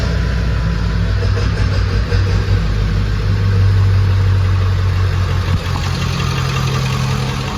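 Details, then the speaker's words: 2000 Ford 7.3L Powerstroke diesel at 107k miles, idling in neutral right after the failed original turbo was replaced with a KC300x stage 1. Steady, even diesel rumble and clatter with no misses, whistles or knocks; normal smooth idle. "Sounds like it's running really smooth."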